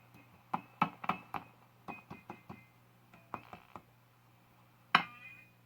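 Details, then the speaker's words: Zenith Z402Y AC/DC/battery radio with 1.5 V tubes: sharp knock with ringing tail through the speaker; the speaker-to-chassis mechanical connection feeds vibration back to the very microphonic tubes. "I think that's just because of the mechanical mechanical connection between the speaker and the chassis feeds back that way I mean these tubes are very susceptible to micro phonics"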